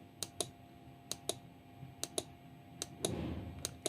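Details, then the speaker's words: 12V relay in an Arduino appliance-control demo: crisp paired ticks about every 0.8 s as the coil pulls the contact from normally closed to normally open and the spring returns it. Normal relay clicking. "ये देखें, ये है relay work कर रही है। Normally close से normally open की तरफ जाके ये जुड़ रही है।"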